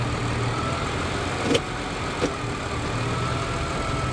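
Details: Hybrid with about 175 thousand miles: steady, even low idle in gear with no knocks or misses, just a couple of light clicks; engine sounds healthy, mounts feel fine.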